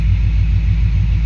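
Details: 1995 Chevrolet Z71 pickup, 350 TBI V8, 205,904 miles, after 4L60E transmission rebuild, at startup in the cab: loud, deep, pulsing rumble with raw throaty burble; exhaust leak.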